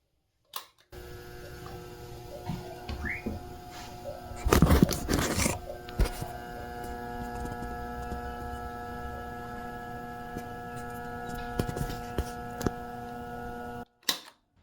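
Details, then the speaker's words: Electric household fan that has stopped turning its blade, plugged in before a full motor cleaning. Low steady humming drone with no blade movement; left on like this it can burn out. "Ele não está girando a hélice, mas ele está fazendo um barulho muito estranho, e esse defeito é muito comum em ventilador."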